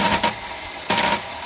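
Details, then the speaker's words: 1963 Chrysler New Yorker limousine, sitting since 2003, jumped across starter junction: two short high free-spinning whirs with no cranking; starter spins but doesn't engage the flywheel. "sounds like he's trying to. Yeah, but it's not kicking into the flywheel."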